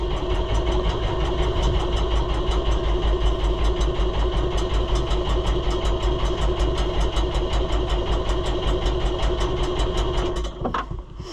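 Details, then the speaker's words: New Holland (Fiat-built) TN75DA diesel tractor with a known fuel leak, after sitting: long steady cranking at about five compression beats a second that never catches; hard starting from air in the fuel system. "typical Fiat, if it gets air in it, she don't start easy."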